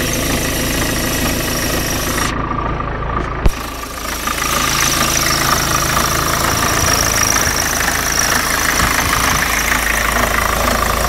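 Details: BMW 318 TDS E36 diesel at idle with a repeating knock, roughly two beats a second, at about half engine speed; cause unknown.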